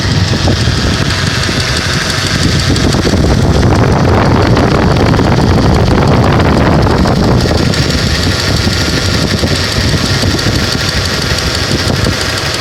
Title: Vibrations and knocking sound of engine